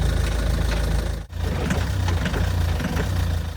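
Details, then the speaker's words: 2.0 TDCi diesel Ford Focus Mk2 Estate, 270,000 km, manual: deep, uneven diesel clatter at idle with an irregular low thump, which sounds bad; cause unclear, with a hard-starting issue that may point to injectors or high-pressure fuel pump. "That doesn't sound good at all."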